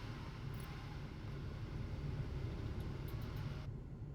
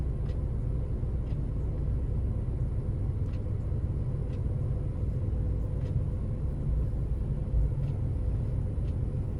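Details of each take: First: 2006 Ford Focus petrol engine idling rough with an uneven low thump as one cylinder drops out; scanner code P0303, cylinder 3 misfire. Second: 2006 Ford Focus engine after replacing the bad cylinder 3 ignition coil that set a P0303 misfire code: a deep, steady rumble with an even beat and no stumble or shake, now running smoothly.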